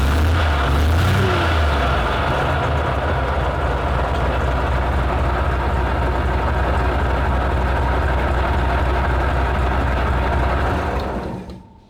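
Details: Petrol military vehicle, started with starting spray while cranking: deep steady multi-cylinder rumble evening out into a smooth idle; engine settling normally after starting.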